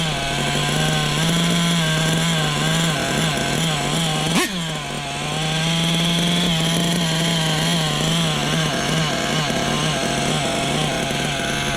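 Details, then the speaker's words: Small nitro RC engine during break-in, at idle, with a buzzy tone that swells and sags rhythmically; low-speed mixture slightly too lean, and the idle had just been backed off. "Hear it pulsating? It's a little too lean on the bottom."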